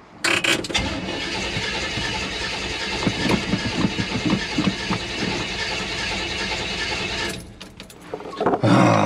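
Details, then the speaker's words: Cheap project car, engine cranked after choke possibly came off too early: steady churn about four beats a second for several seconds, never catches; owner suspects out of gas since fuel gauge doesn't work. "Maybe we're out of gas because the gas gauge doesn't work."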